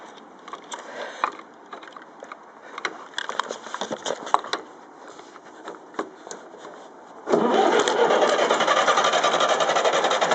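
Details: Ferguson TEF-20 diesel tractor first run after full engine rebuild (pistons, liners, bearings, valves, springs, clutch, seals), injection pump re-timed after being 360° out: clatter and handling, catches around seven seconds, then runs at a steady, even beat; healthy.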